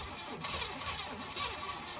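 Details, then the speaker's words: 1980 Pontiac Turbo Trans Am, derelict, with carburetor stuck shut so no air gets in: quiet, sluggish slow cranking with fuel added, never catches or fires; won't start. "it cranks over cranks slowly I put gas in it and it seems like it wants to do something but I can't give it any air because the carburetor is stuck shut"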